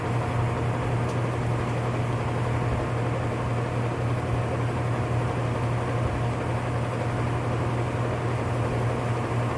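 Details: Whirlpool top-load washer (model 110…) with grinding complaint when motor runs, manual-test high spin: constant rough, hissing grind over a steady low hum; worn gear assembly needing replacement.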